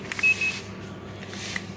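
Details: Calor pellet stove (Italian-made) before repair: two short high-pitched beeps over a quiet room hum, the SIC Fail overheat alarm; the temperature probe is not at fault, the combustion fan is not blowing air, and resetting the thermal cut-out does not clear it.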